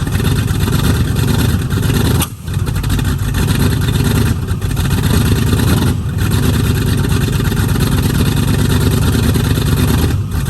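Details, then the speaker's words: 1969 Mustang V8 that sat 15 years, after new solenoid and voltage regulator: loud deep run with stumbles and drops every few seconds, misfiring and spitting back; owner suspects timing slightly off, and plugs and wires, not confirmed. "I think timing may be off a little bit the reason you're spitting back but it still has a definite Miss"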